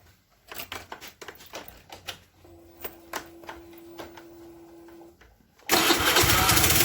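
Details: Suzuki Nex fuel-injected scooter before teardown, with heavy white smoke, oil running out fast, power loss and a very rough sound: after handling clicks it fires up loud and coarse with a harsh uneven roar; piston damage.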